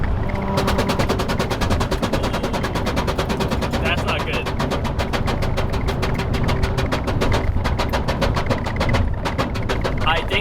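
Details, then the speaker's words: Car on a mountain road run, loose undertray: rapid, steady slapping clatter, several hits a second, over road and engine noise; not the engine, the undertray dragging and beating on the road. Loose undertray hitting road. "I think that's my Undertray, y'all. I don't think that was the engine. That's not the engine, that's for sure. But I think my Undertray might have just fell off."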